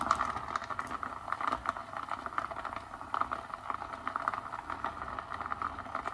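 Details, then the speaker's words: Nespresso Aeroccino 3 making hot chocolate from chocolate drops added to heating milk: quick irregular ticks and patters over a quiet hum as solid drops tumble, banging against the jug wall while it spins. "As you can hear, it's already banging about a little bit."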